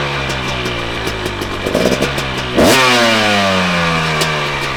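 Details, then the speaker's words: 2019 KTM 250SX two-stroke with Lectron Billetron 38 Pro carb, idle preset: steady, crisp idle with one clean rev blip settling straight back; idles well, though owner suspects it runs lean and detonates under riding. "well it idles really well which I'll show you here in a minute but I think it's running pretty lean"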